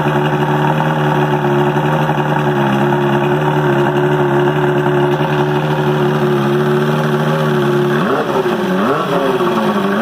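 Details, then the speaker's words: 1978 Johnson/Evinrude 115 V4 outboard, first start in a couple of years after a carb job and fuel system drain and flush, primer-started, 120 psi compression on all four cylinders: steady even two-stroke drone with clean throttle blips, no misfire; runs normally. "all right sounds good"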